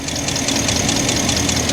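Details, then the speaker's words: 2012/2013 Ford F350, code P06B6 knock sensor performance: rapid crisp snapping about five a second over rough idle, heard as knocking; spraying water on coils shows coils arcing, not mechanical knock or knock sensor. "if you hear carefully you can hear a knocking coming from this engine let me show you guys what that is I'm going to take some sort of water or any liquid and I'm going to spray it on the coils"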